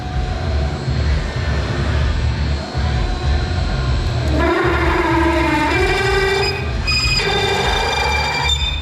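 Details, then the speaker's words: Bed mill drilling hole pattern in rubitracks hub: partway through the cut a hard ringing howl rises over shop noise and holds; chatter from an overlong drill, possibly dull; spindle speed and feed later reduced to 90%. "most of that noise oh that's brutal hard in years most of that noise is come from the fact that tool is so long"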